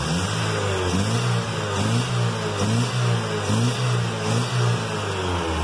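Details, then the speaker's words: Chevy with black smoke and hard cold starts, after lowering the too-high fuel pump pressure, before reconnecting a component: revs rise and fall in uneven surges about once a second, bogging as if it wants to die on acceleration. "momento que le acelera vamos hacia como que se quería pagar"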